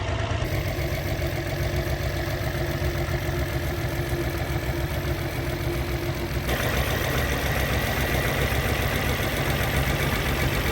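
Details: After test drive on rebuilt Solex Mikuni Type R carburetors, extra throttle return spring refitted so throttle no longer hangs: steady, even idle with smooth low drone, no misses, knocks or hunting; normal idle.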